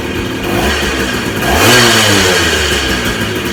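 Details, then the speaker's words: 1982 Yamaha Tri-Moto 175 two-stroke, after a no-start from long storage fixed by cleaning the carburetor, clearing the fuel lines and adding fresh gas: it catches, blips up smoothly and settles to a steady, even run with no misfire. "Well, it's running good now, so that's how you guys can diagnose a no start."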